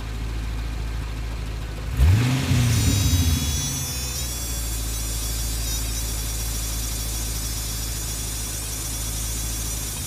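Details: Pontiac GTO with manual gearbox, on jack stands in neutral, clutch untouched: idle, then a quick throttle blip, with a faint high whistle lingering afterwards; unidentified noise still being traced.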